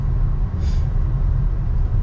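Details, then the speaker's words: BMW X5 35d diesel on a test drive after an engine rebuild (head resurfaced, valves lapped, oil pump and head gasket replaced): a steady deep rumble pulling smoothly; the earlier turbo-like squeal, thought to be from a leaking manifold gasket, is gone. "Ça pousse quand même. Hein. Je vais ralentir parce qu'il y a un radar, je vais me le prendre sinon. Mais c'est pas mal, il roule très bien ce petit X5."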